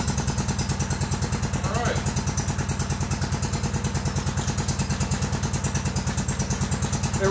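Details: Kohler Command CH16S in Cub Cadet 2166, very cold start around 30°F after head gasket, crank seals, valve stem seals, exhaust gaskets, new ignition coil and module; steady single-cylinder thumping even idle, no misses, knocks or rattles.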